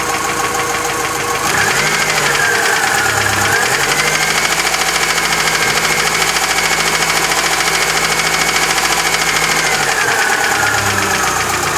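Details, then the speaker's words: Chery Amulet engine at idle: quick, light, even ticking about three per second. Mechanic suspects a hydraulic lifter; he could not fix it, but the knock went away elsewhere after new lifters were squeezed out and fitted. "Я думаю, это гидрокомпенсатор. Будем менять гидрокомпенсатор."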